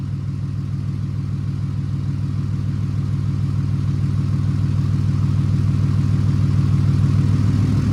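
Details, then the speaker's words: 2008 Ram 2500 6.7 Cummins diesel after replacing the failed turbo VGT actuator, recorded from the back of the truck: deep, very even clatter rising slightly with revs and no idle whistle. The engine runs healthily. "Alright, well, I'm sure you guys could tell there was a pretty clear difference there. Now it doesn't whistle at idle like the factory ones do."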